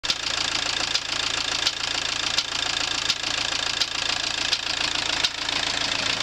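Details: VW AWX diesel engine at idle: sharp, regular knock less than once a second over the diesel clatter; engine knock, cause unknown.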